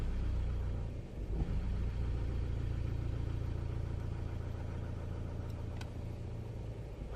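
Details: Opel/Vauxhall Vectra C at idle: a low rumble that sags and wavers instead of holding steady, an unstable idle related to the throttle body potentiometer.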